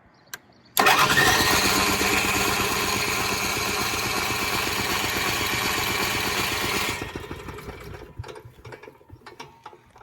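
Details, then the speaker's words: Onan 4000 KY generator, hard starting: cranks with a steady chugging beat, then sputters and dies. Air filter removed shows choke plate stuck open and choke lever not moving; plate should close at ignition until the choke coil heats up. "Remove the air filter and confirmed the choke plate was stuck open. The choke plate is supposed to close at ignition."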